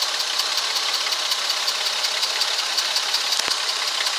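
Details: 2004 Ford Freestar idling a little rough with a fast light ticking, about three per second, over a thin hissy idle; no codes, still drives; spark plugs, wires and coil replaced, fuel filter replaced after noise began; cause unknown.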